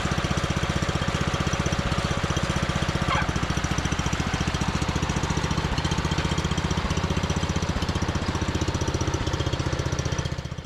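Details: John Deere 110 mower that sat in a garage about 10 years, started after longer cranking once a jumper start failed: steady, even thumping at a constant fast idle, no misses or knocks; runs smoothly, normal running.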